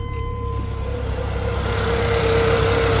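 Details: 1997 Chevy S10, cold start after reviving the old battery, before warm-up and service: engine catches and settles quickly into an even idle, steady low rumble building slightly; starts and idles normally.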